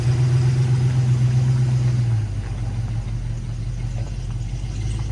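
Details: 1973 Chevrolet K5 Blazer V8, bought with a broken motor and now repaired, on a test drive: deep, even V8 rumble settling lower partway through, no knocks, misses or whine; normal running.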